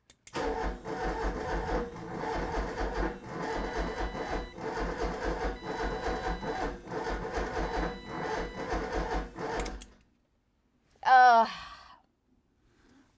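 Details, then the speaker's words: 1988 Ford Escort during fuel system diagnosis, fuel pump audible, no leaks: about ten seconds of steady sluggish starter cranking with no firing; cranks too slowly and won't start, starter suspected, not confirmed. "Nothing obviously is leaking. It's not turning fast enough, is it?"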